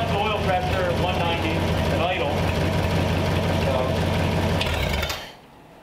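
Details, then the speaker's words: Rebuilt engine for a one-owner 1934 Ford 5W coupe on a run stand, after a previous cracked-block overheat, heads re-torqued: steady even low rumble with no knocking or missing, then shut off; healthy run. "would call that pretty good I call that a successful run yeah"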